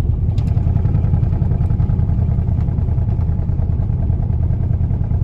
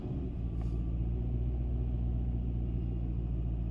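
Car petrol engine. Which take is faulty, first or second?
first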